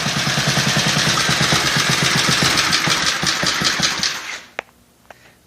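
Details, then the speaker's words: Small single-cylinder engine (60,000 series) for a mini bike build, valves set 5–7 thou intake, 9–11 thou exhaust: even rapid chugging, about four pulses a second, then shut off; runs fine, may need more tune-up. "All right, I'm happy this thing is running. Just like to hear it run, you know? Something about an engine that's running, you know."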